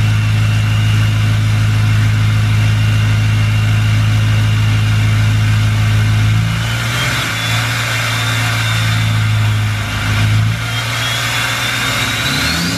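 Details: 2020 Duramax L5P diesel, cold start at idle: heavy drone with a thin whistle that wavers on blips; bad turbo actuator with stuck vanes, a common issue that needs fixing.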